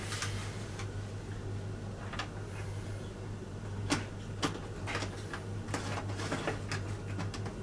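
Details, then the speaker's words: Model railway locomotive, bought on eBay, cleaned and run on an SS2 controller at 12 volts: steady low hum with scattered faint clicks while it stays put. The motor is stalled and straining; the owner suspects it needs about 16 volts, and the cause is unconfirmed. "it just doesn't want to know it's it's trying but there's not enough voltage in this controller"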